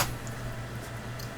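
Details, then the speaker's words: Waltham Hunter pocket watch, about 1911 or possibly 1800s, overwound and overbanked; after balance cock adjustment and oiling of the center wheel and escapement, before full disassembly and cleaning, faint steady ticking over a low hum: running normally. "it ticking away, so I think I'm good."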